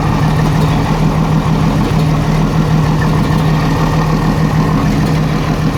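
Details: 1987 Jeep Cherokee Renix 4.0 at idle: uneven loping idle with a stumble breaking the rhythm, one cylinder missing; later traced to a sticking valve or bad lifter, cylinder 6 exhaust rocker moving less; loosening its rocker bolt smoothed it.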